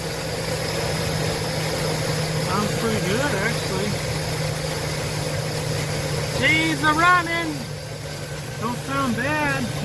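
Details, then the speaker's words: Chevy/GMC LS engine after updated valve cover install, started for two days now: steady even V8 idle, smooth low hum, no ticking or misses, birds in background; owner says it sounds good, like a diesel; healthy idle. "then started up for two days now sounding damn good easily it sounds like a diesel"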